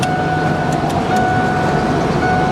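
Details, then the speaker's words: 110,000-mile truck with 5.8 engine at steady idle, check engine light on: constant mid-pitched hum rising slightly as the AC compressor engages and drags the engine; AC blows cold, working normally. "i think i hear the ac pretty sure i felt i feel the compressor dragging yep wow yeah ac is cold"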